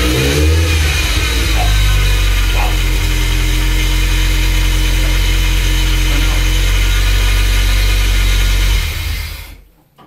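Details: Nissan 200SX first start after engine rebuild: engine catches, settles into a steady even idle, then rises smoothly when revved and drops back; runs clean with no knocks or misses.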